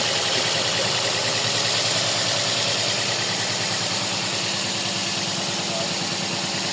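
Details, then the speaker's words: Toyota Vios (Batman) at idle with code P0354, misfire on cylinder #4 (ignition coil/injector #4 suspected); uneven, lumpy idle with a regular stumble, confirmed misfiring. "Sige nga. Palyado talaga."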